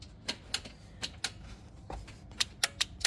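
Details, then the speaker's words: Kawasaki Mule repowered with Briggs Vanguard engine (original diesel blown, removed), first start attempt after wiring starter: key turned, no crank, only sharp dry clicks, about eight in three seconds, from Bosch relay; trigger wire to starter solenoid not getting power. "So let's just give it a little cranky crank on the key and see what it does. Nothing. Now I can hear a relay triggering."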